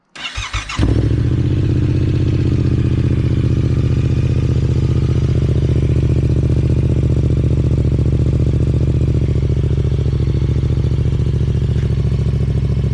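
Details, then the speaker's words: Yamaha R7 just after Yoshimura R-77 race exhaust install: engine catches at once and settles into a loud, deep, steady burble with no knocks or misses; healthy start, just a very loud exhaust. "Wow. That is fucking crazy, dude. Oh my god. Oh my god. It is so fucking loud."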